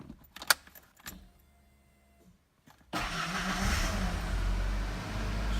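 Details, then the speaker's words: 1991 Ford Ranger XLT 2.3L 4-cylinder after a starter motor replacement: a few soft clicks and a key turn, then the engine catches at once and settles into a steady, even run. A normal start with the new starter. "okay so here's the final test we'll go ahead and try and start the vehicle now with the new starter install start right up perfect"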